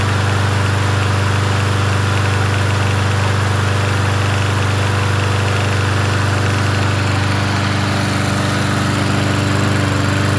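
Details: Yard Machines 21-inch push mower, 163cc engine, in cool 50s weather: steady, even low thrum at constant speed, no misses, surging or knocks; running healthy.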